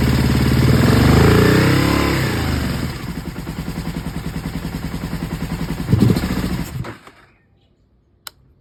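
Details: Aprilia ETV1000 Caponord V-twin: rev dies into uneven, lumpy idle with irregular beats before stalling; misfire caused by front cam one tooth off timing.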